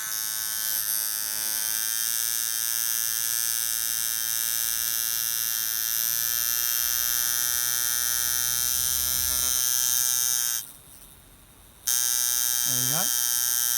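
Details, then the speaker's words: Camber Custom coil tattoo machine at 7.5 volts with the throw closed by the contact screw: steady, quick high-pitched buzz with no stutter, faster at the same voltage and power because the armature bar travels less. "now that's quite a lot faster still the same voltage but what's happening now is it's still the same amount of power in this so there's no extra power in there because i haven't added any more voltage but it is going faster"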